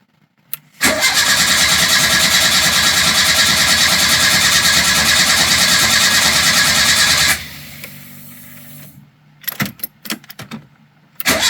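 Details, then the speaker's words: Renault 5 GT Turbo after refitting the repaired carburettor: starter churns evenly for about six seconds as fuel refills the float chamber, then stops; extended cranking before it fired up. "obviously it's going to take some time to get fuel back into the carbon into the chamber so let's go"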